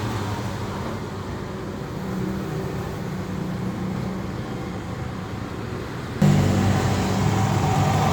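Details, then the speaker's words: Toyota Camry idling with a steady, low growling rumble underneath, from a worn water pump bearing. The water pump was replaced. "Ini dari water pump. Camry selesai ganti water pump."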